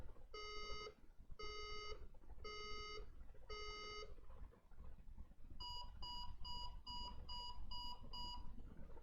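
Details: HP ProDesk desktop at power-on: long low beeps then seven quick higher beeps, with red and white light flashes, read as a 5 long, 7 short code; RAM reseating didn't change it, traced to a cracked PCH chipset.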